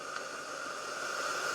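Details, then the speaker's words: Steam mop from charity-shop e-waste, heated up at full or half power with the trigger pulled. A steady airy hiss with a faint whistle builds slightly as steam comes out; steaming normally. "so if I pull the trigger it's making Steam not sure you can see that you should be able to hear it"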